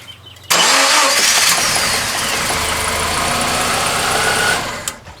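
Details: Subaru Impreza after crank-no-start diagnosis, with injector pulse confirmed. The engine catches at once and settles into a steady, even idle with no misfire or stumble. Normal start and idle.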